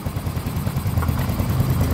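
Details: Soul GT 125 motorcycle after engine rebuild for rattling noise (piston damaged again): low steady idle with even beat, no knocks or ticks; oil confirmed flowing to cylinder head bolt, engine smooth and healthy.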